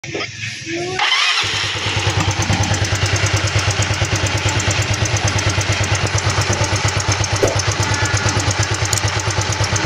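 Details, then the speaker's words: Yamaha Mio Sporty scooter brought for CVT cleaning, starting and idling: quick even idle with a thin metallic scraping like metal rubbing; the timing chain is checked as the source. "tunog na tila may sumasayad na bakal. Saan nga ba nagmumula?"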